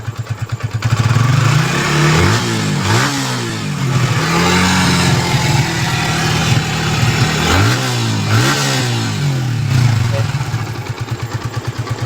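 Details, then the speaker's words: Yamaha Vixion motorcycle after repair of engine seizure from running out of oil, oil pump checked and oil filter replaced: steady idle then clean throttle blips with no knock or rattle, smoother, no smoke, solid compression; healthy. "Suara makin halus, nggak ada asap, dan makin responsif. Kompresi padat banget guys."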